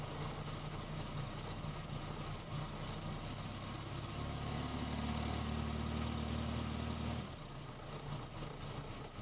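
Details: Volvo 480 with B20F engine idling: uneven low thrum, rises briefly with revs then drops back rough; engine running problem, cause unclear.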